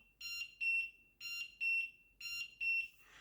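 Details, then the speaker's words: LED digital large wall clock (about 70 x 16 cm) alarm A1 sounding from its built-in speaker after a 1-minute wait: loud, shrill high double beeps about once a second, clean and steady; working normally. "And there is the alarm. I think the sound is very loud. Definitely you will hear the sound."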